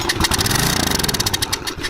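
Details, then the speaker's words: Troy Bilt 2800 PSI pressure washer (model 020568), Briggs and Stratton engine, won't start: with air filter off and carb cleaner sprayed in, it fires evenly for two seconds then dies; fuel starvation through the carburetor. "Well sounds like Carbs not like you said We're not getting any gas Through the carburetor, I said, we've got to take it all apart"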